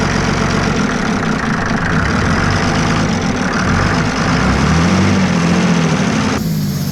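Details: Mercedes OM603 diesel in a Ford Ranger (Doomsday Diesel adapter, ZF5 transmission), just after first start, warming with slight throttle from hose in linkage: steady even idle clatter, no knock or miss; healthy engine, oil pressure near max.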